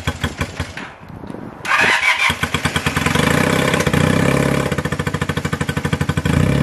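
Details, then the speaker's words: 1978 Honda CB250 Twin (CB250T), running after valve clearance adjustment (three of six valves way off): cranks and catches, idles a little low with a low, uneven popping beat, responds to choke but sputters and stumbles whenever throttle is given, not wanting to rev. "it is not like to rev as you could hear in the video whenever I tried to give it a little bit of throttle it just sputtered and it wasn't"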